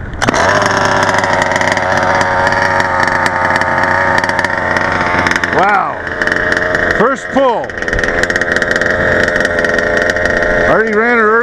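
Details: Redcat MT RC truck with a 30.5cc Zenoah two-stroke and CP pipe catches and settles into a crisp, steady buzz with clean throttle blips rising and falling; warmed up and running healthy.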